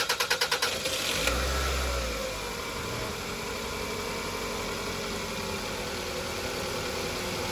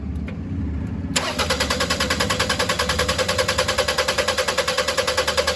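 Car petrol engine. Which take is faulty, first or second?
second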